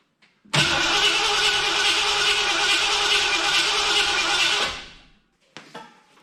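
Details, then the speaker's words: 1986 Ford F250 351 Windsor after new starter and ignition switch fix: even cranking about 200 per minute for four seconds without firing; acts like no spark, 6.5 V at coil, 11.9 V battery, won't start. "So I'll give her a little puff. Well, now it acts like there's no spark."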